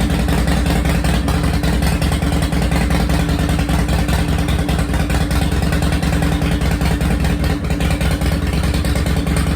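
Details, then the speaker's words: 2005 Harley-Davidson CVO Fat Boy first started after replacing a stripped clutch hub, the clutch and the bearing; loud lumpy V-twin idle with a steady low throb and no grinding or clutch clatter. It shifted into gear and back to neutral fine. "all right she fired up she shifted into gear she shifted back into neutral"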